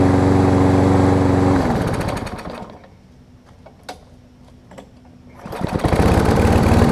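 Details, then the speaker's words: Kohler-engined Lawn Boy mower that would only start and restart with starter fluid: steady drone sags almost to nothing then picks back up, sounding choke-like; partially clogged carburetor top jet, fixed by cleaning the jet hole. "it almost sounds like the choke sounds like there's a very minor clog"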